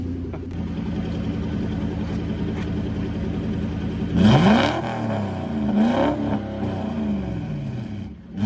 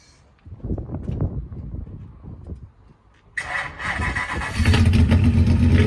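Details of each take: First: Focus project car with a twin-turbo V8 and a new custom TIG-welded stainless steel exhaust, resonators/mufflers not yet sorted: deep, even idle, two sharp blips falling back to a clean burble, then shutdown. Normal, healthy V8 running. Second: Ford Focus project car with twin-turbo V8, first start after fitting custom stainless steel TIG-welded exhaust; starter cranks about three seconds, then lumpy uneven idle stumbling now and then, a misfire.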